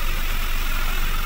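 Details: 2023 Ford Ranger 2.0L 4x4 diesel, push-button started before an engine bay wash, with no check-engine light. Steady, even low rumble at idle with no knocks, misses or rattles; the engine sounds healthy.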